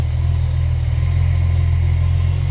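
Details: Holden Commodore/Camira/Sunbird six-cylinder with Varajet carburettor, idle being adjusted by the top air-bleed screw as revs rise: smooth, even idle with a steady low note and no misses; the carburettor idle circuit sounds healthy.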